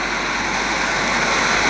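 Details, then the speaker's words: Taruor stove, burner on max with red-hot center ring: steady loud hissing roar with no sputter or surging, louder than the Coleman; normal full-flame burner roar. "a loud stove sitting up in the morning early in the morning to make coffee for you and your buddies they'll hear it probably"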